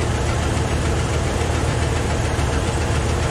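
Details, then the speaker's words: Truck engine idling: heavy, shaky rough thrum with faint knocking, no smoke from exhaust; mechanic diagnosed stuck valve, sound from left side, fuel pump fine; owner may check timing and coils. "it runs really rough so we'll see"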